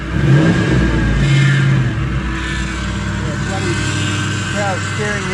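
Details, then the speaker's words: Lexus 1UZ V8 swapped into YN61 Hilux Surf with R151 gearbox and external fuel pump, first official startup, throttle worked by hand: catches cleanly, revs smoothly, even firing, no knocks or ticks; healthy. "Here we go. The the first official startup. Um, excuse me for a minute. I haven't adjusted the throttle, so I'm going to have to do it manually."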